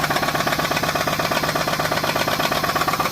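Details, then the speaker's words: 2006 Pontiac G6 idling after an oil filter housing gasket replacement, with the oil possibly overfilled; a steady, hollow, evenly spaced deep knock at about three a second rides over the engine. Owner suspects a rod knock; unconfirmed. "So anyway, I'm gonna let you hear the knocking sound it makes now. It's probably a rod, but you hear that?"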